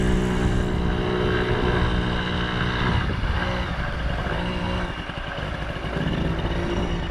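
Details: 1980 Yamaha QT50 two-stroke moped on its test run, ridden in circles after eight years off and many new parts including exhaust gasket and throttle cable: steady, even buzz that dips slightly with load, quiet, no misses. Normal running.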